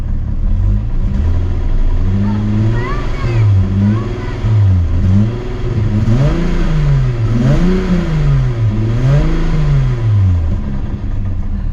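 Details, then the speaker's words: VW Jetta after repair, lifter ticking stopped: smooth even revs rising and falling, no ticking, knocking or chain noise; engine sounds healthy. "and the lifter just stopped ticking so the car sounds healthy I don't think so there is no big uh big uh knocking noise anymore"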